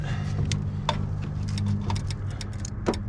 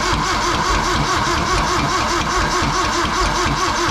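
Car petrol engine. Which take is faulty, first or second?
second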